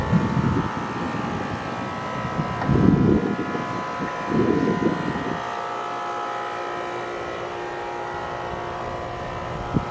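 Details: AC condenser on a no-cooling call, restarted after adding a hard start; compressor rated 19.9 A, fan about 1–1.2 A. Steady compressor hum under smooth fan whoosh, some early wind gusts, no buzzing or chatter: normal running.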